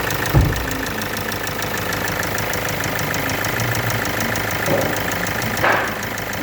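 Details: Kia Sportage 2.0 CRDi diesel at idle: fast, even light ticking about six a second over the diesel clatter, caused by faulty hydraulic tappets (valve lifters).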